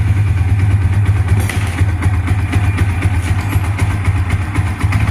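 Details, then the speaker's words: Yamaha Vixion single-cylinder engine running after radiator water pump repair for a coolant leak into the engine oil, with oil changed to new oil plus engine flush added (1 L total): strong, steady low thrum, no knocks or rattles, normal running. "Alhamdulillah perbaikan pompa radiator telah selesai."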